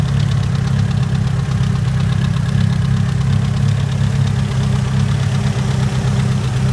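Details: Mitsubishi Evo 9, warm idle; noise starts only after about 3 miles of driving: steady low rumble with a light, repeating tick; owner unsure if valve tick or rod knock.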